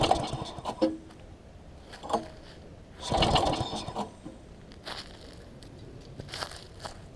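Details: Quantum-powered 3.5 hp weed trimmer, freshly fitted with a new carburetor that was priming (wet inside); repeated pull-cord cranks several seconds apart turn the engine over without catching. Hard starting.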